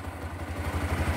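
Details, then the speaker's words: Yamaha YBR 125 with timing-chain noise complaint, top end fully redone, compression confirmed, after repair; even low putter at steady idle with regular firing pulses, no knocks or rattles, normal healthy idle. "Olha o funcionamento desse motor para vocês ver nós estamos dentro do canal oficina GTI mostrando a mecânica de uma YBR na oficina certo"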